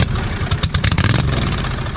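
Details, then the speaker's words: 2007 John Deere Z425 zero-turn, newly installed replacement Briggs & Stratton engine, first run after fresh oil with muffler not yet fitted: loud raw unmuffled exhaust beat, steady deep rumble, no knocks or misses; runs normally. "it's gonna be a little loud too because the muffler's not on yet"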